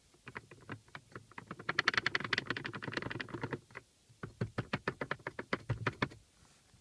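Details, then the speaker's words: Lada Priora glovebox removed: two loose metal bushings give light, quick irregular metallic clicks when shaken, a rattle from the right side of the car that can pass for a suspension knock; fix planned by wrapping them with electrical tape. "вот эти вот две металлические втулочки они издают звуки сейчас слушайте и"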